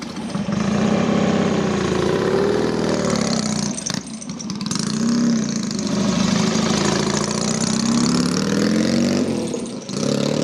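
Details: Norton P11 Ranger twin, just finished after 15 years off the road, ridden up the drive: steady throaty beat rising and falling smoothly with throttle, no knocks or misses; healthy-running engine.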